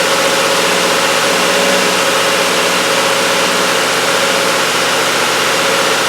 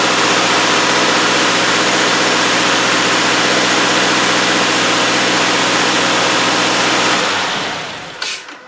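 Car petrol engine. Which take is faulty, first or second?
first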